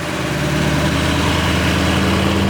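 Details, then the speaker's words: 2014 Ford Mustang Shelby GT500 V8 at 9,000 miles, idling parked: steady idle with a faint busy rattle on top; owner suspects knocking, later told it needs a new engine or rebuild. "Your engine, there's a noise coming from it. There's like a rattling sound. Is that how your engine is?"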